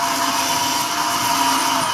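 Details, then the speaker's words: Lesu SK500 LC RC excavator track final drive after disassembly and a homemade gasket with lithium grease to stop the motor rubbing; steady whir and even gear hum, quieter forward, a bit louder in reverse; normal track drive running. "a little bit loud in Reverse but it's working much quieter when it goes forward"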